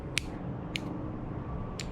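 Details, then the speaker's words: 1969 VW Beetle Baja Bug with ignition on and a 22-inch 180 W LED light bar just wired in temporarily: three crisp relay clicks as the switch operates, meaning the relay is working normally. "very nice you can hear the relay clicking so that'll work"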